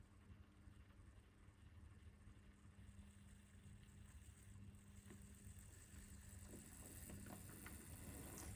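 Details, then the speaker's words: Nearly 20-year-old Hornby model locomotive running on the track: a soft, even motor hum with a faint buzz and light rhythmic track clicks; the motor is noisy but runs smoothly. "can hear how noisy it is there but it runs fine you know it's pretty good pleased with this one considering it's nearly 20 years old"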